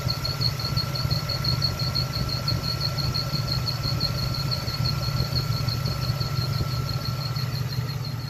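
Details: LT1 V8 at idle: high chirping squeak pulsing about three times a second, started two days after new fan clutch fitted, goes away when clutch engages; mechanic suggested water pump, solved as bad fan clutch.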